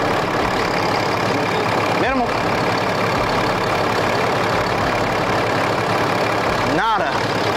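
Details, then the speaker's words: Cummins diesel truck, a former farm truck being checked before purchase, engine warmed up, oil cap off for blowby check: even diesel clatter at steady warm idle, no surging or chuffing, no blowby at all; healthy normal idle. "no no blowby at all nothing all right perfect"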